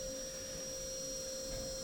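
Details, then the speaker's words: Traxxas TRX4m RC crawler, steering servo with stripped gears, already broken a couple times, truck can't turn right: thin, steady high whine holding one pitch as the servo strains and freaks out; servo to be replaced. "Listen to that servo whine. It is freaking out, man."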